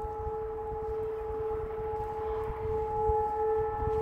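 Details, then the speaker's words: Recorded outdoors in frosty winter weather beside an Ursus C330M tractor: a steady, distant siren wail at one pitch over a quiet background, thought to be from a fire in a village further away. Cause unclear. "mówiąc to nie wiem co to może być bo tam z poprzedniej z oddalonej wioski Co jest dalej gdzieś coś się pali widocznie"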